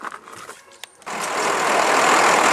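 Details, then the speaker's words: 1995 Ford F-series box truck, 12-valve Cummins diesel, 301,000 miles, after fixing the fuel line that was sucking air: engine catches and settles into a steady, even diesel run with no misfire. "well and we've got it running again"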